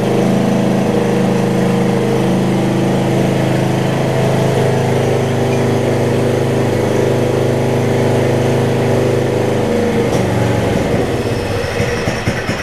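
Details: Murray rear-engine riding mower (RER) with a single-cylinder engine, idling after an earlier valve-grind repair; it runs well once warmed up. Steady, even chug with no knocks or misses, a normal idle. Drive belt partially shredded.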